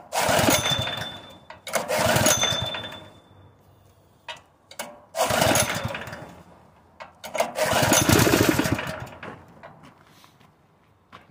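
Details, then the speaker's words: Honda GX160 engine on a portable air compressor, converted from gasoline to propane, roars up for a second or two, dies, and catches again in uneven surges without steady running; owner suspects the cam compression release or a worn valve train. "it's so sensitive D so easy I'm beginning to think that the compression release on the cam is messed up or something something is wrong with this [Applause] engine"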